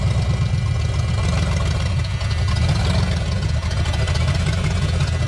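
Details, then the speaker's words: 1973 Mustang Mach 1 V8 recently revived, being driven onto a trailer: deep, uneven idle with lumpy stumbling beats, seems to be loading up; owner thinks it needs spark plugs and wires, cause unconfirmed. "oh come on seems to be loading up a little bit"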